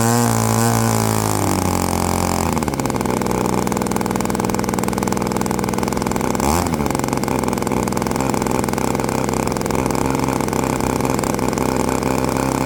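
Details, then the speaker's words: Byron Christen Eagle RC model plane, Quadra 50 gas engine revived after 25+ years; revs up and holds a steady buzzing high speed, slightly soft and burbly at the top: mixture a hair rich on the high end. "All right, she sounds pretty good. Just a hair. uh rich on the high end, but not too shabby."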